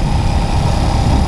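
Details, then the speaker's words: Project MADASS 141cc big-bore small engine with an oil cooler, during a 50-mile break-in: a steady, even, crisp low thrum with no knocks or rattles. The owner notes much more torque. Normal running. "I am so happy with this thing. Listen to this. It's just crisp. Feels really nice."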